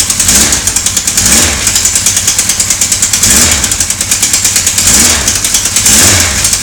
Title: Sonderbare Motorgeräusche.AVI